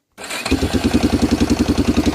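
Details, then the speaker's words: 1995 Yamaha Big Bear 350 ATV: engine catches and settles into a lumpy idle with a faint, slight tick on each beat, not judged concerning, cause unclear; also a slight exhaust blow from a hole. "There we go. You can probably hear it. Ever so slight. It's not concerning to me anyway."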